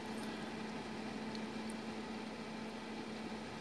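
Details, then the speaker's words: Glacier G55 fridge on 12 V power just after startup, microphone held close to condenser and fan: soft, even airy hum with faint steady low tone, no rattles or knocks; fan and compressor running normally. "I can actually hear the fan just started so that's telling me it's running it's a normal run procedure if the compressor and condenser all appears to be normal"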